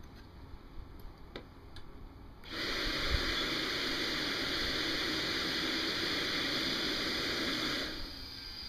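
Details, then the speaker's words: Old AMT/US Micro Jets AT180 air-start RC turbine, manually started with glow plug and propane in near-freezing weather: steady rush of air rising sharply and holding about five seconds as it spools on air; normal start. "once you hear it pop you can basically get the air on it full start turning up the propane and it should be ready to go"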